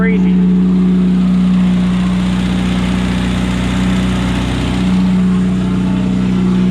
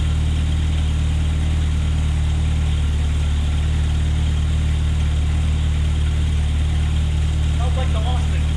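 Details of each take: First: 1972 Opel GT revived after decades sitting (last registered 1979), Solex carburetor, straight-pipe exhaust: loud, even, deep booming drone at idle over a quiet engine; good oil pressure. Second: 1972 Opel GT after readjusting timing: deep even idle around 1100 rpm, firm steady pulse, no stumble or hiss; normal idle.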